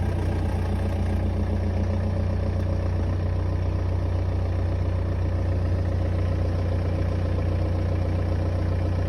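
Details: 2011 BMW 318d N47N diesel at cold start: dense metallic timing chain rattle over clatter from worn chains; N47N with 24mm tensioner rattles only at cold start, not when revving.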